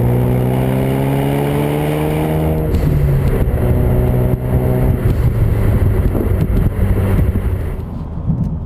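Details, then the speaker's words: 2016-2018 Ford Focus RS with a new MagnaFlow 3" stainless cat-back exhaust, speaker sound disconnected, light cruise at about 2,000 rpm: smooth, steady, mellow exhaust note with no drone building up. "Yeah, even trying to cruise it at $2,000, keep it consistent there, where you would get your normal drone, there's none at all."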